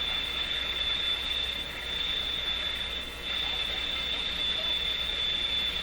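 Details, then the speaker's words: Early-1940s Canadian Westinghouse 981 five-band floor shortwave tube radio, unrestored, first power-up on isolation transformer at only 85 volts: steady high-pitched whistle over hiss on AM. "so that sound is a sound i hear all the time in my shop on am radios"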